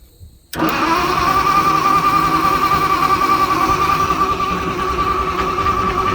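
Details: Old Motowlift forklift with propane-converted flathead Ford, water suspected in the engine: steady starter whirr with fast even cranking pulse, about three and a half beats a second, but it never catches.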